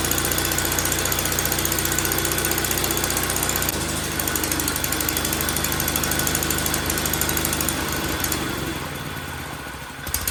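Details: 1931 Viking model B twin walk-behind garden tractor running properly after tuning. It chugs at about three even beats a second, holding speed steadily.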